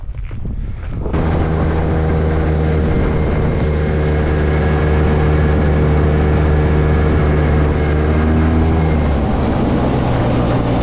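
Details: Old two-stroke Polaris 6x6 after a budget rebuild, restarted after refuelling; steady droning note at constant speed without misses or rattles; normal running.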